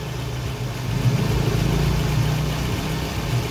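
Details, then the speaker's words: 2003 Toyota Previa, 2AZ 2.4 L, after timing set replacement, first start on jump start (weak battery): steady, even low idle with no ticking or knocking; engine sounds healthy. "Ayan, nilagyan na natin jump start. Ayan. Unang andar. Okay naman siya."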